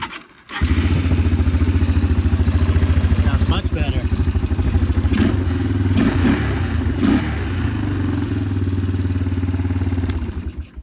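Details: Yamaha Timberwolf single with its intake valve found at roughly 0.020–0.030 in, far beyond 0.002–0.004 spec, readjusted; after adjustment it starts and settles into an even, steady thump with no ticking: normal idle.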